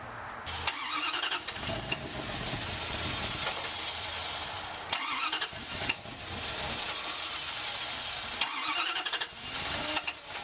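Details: Wood gas truck engine with new automixer: repeated bursts of starter cranking with pauses between tries before catching; many failed cranks attributed to bad gas quality, gas slow to come back, mixer not yet fine-tuned.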